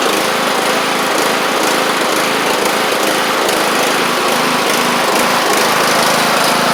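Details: John Deere LA100 mower, 5-speed transaxle, after valve-related hard-starting repair, pulleys and spindles checked: small engine holds steady high-pitched drone under blade load, no surging, misfire or knock; running healthy.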